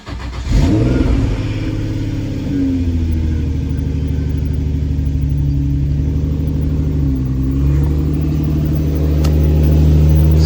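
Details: Nissan G35 with G37/350Z parts, first start after timing cover work with fresh oil and coolant still holding air: catches in about half a second, flares briefly, then settles into a smooth even idle with no knocks; healthy start.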